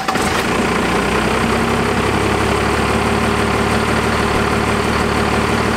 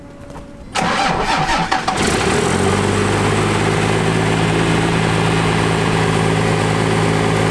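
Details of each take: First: Resto-gen diesel after a fuel adjustment: steady even clatter at slow idle about 500-600 rpm, no hunting or surging; normal idle. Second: Cummins diesel truck with its fuel injection pump power screw being backed out; starts and settles into a fast, steady drone around 1800 rpm, down from over 3000. Idle still too high from the power screw setting.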